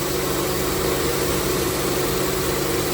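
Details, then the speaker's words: High-mileage Honda Pilot, cold start test at 58° after replacing the timing belt tensioner that caused a cold-start rattle: smooth, even idle hum with no rattle or ticking; engine now runs normally. "yep no more rattles do a cold start test on my new tensioner temperature right now is 58"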